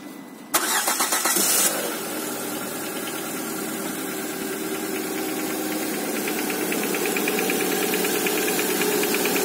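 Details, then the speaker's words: Lada Granta, 127 engine, cold start: brief rattly knock from the cylinders for a second or so, then steady idle with faint ticking; owner suspects pistons loose when cold; cold-start engine knock. "стучит откуда-то с цилиндров, наверное, поршни болтаются на холодном."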